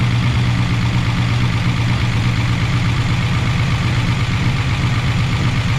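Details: 1988 Chevy Camaro IROC-Z V8 after replacing lifters that would not stay pumped up and caused lifter noise: deep, steady idle with an even low beat and no top-end ticking; normal idle.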